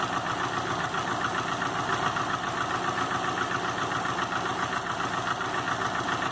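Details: 2005 Subaru Legacy GT with rebuilt refurbished block (new crankshaft, bearings, used rods/pistons, used heads with new valve seals, used VF40 turbo), warmed-up idle at 22 psi oil pressure: light regular tapping knock three to four per second over idle; cause not found.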